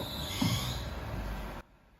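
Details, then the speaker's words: 2003 Lexus RX300 just after start-up: thin steady high squeal over the engine, then cuts off; owner suspects the alternator pulley, unconfirmed. "What is that sound? Could it be the alterator pulley? Maybe."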